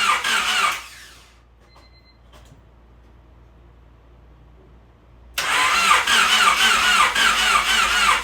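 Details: Honda Civic freshly rebuilt D16Y8 engine, first start-up on a weak battery with jump box: after a pause it catches and settles into an even, steady idle with no knocks or ticks, sounding nice and smooth. Normal idle.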